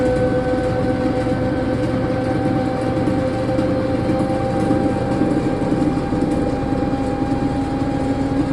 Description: This is what a 160lb Unimac washer sounds like going up to 710rpm or 300g with bearings that r less than a year old and destroyed due to under loading .